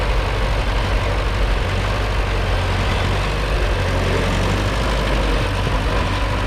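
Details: Allis Chalmers WD narrow-front row-crop tractor revived after being seized and left in the bush: heavy low thrum idling with somewhat uneven beat; runs but still needs tuning, tune-up planned.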